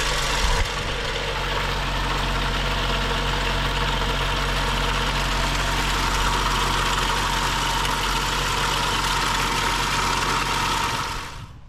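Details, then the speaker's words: BMW 535xi M Sport with rebuilt engine, about 2500 miles since install, after new high-pressure fuel pump and cam follower, air filter off, idling: light, fast tapping rattle on top about three a second, same as before; same HPFP code, mechanical cause suspected, unconfirmed. "we installed a new highpressure fuel pump with the new plunger and we start it back up and we're getting the same type of a rattling sound"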